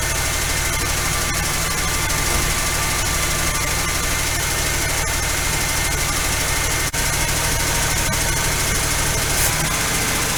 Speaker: okay still idling way too high i've got the idle screw backed off and i hear a lifter tapping a little